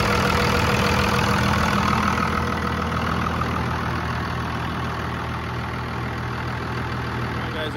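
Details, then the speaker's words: 2000-2002 Dodge Ram 2500 diesel, manual, about 387,000 miles, just after a fuel filter replacement and priming, idling: steady, even clatter with no stumble or hunting. Idling cleanly. "so um it's running good and stalled out yet it's been running for i don't know five minutes or so probably"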